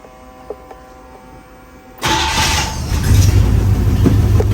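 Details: 1956 Chevrolet Bel Air 265 V8, once locked up and recently freed, restarted warm after shutting off in gear: catches right away after a quiet pause and settles into a steady, even idle; healthy warm start.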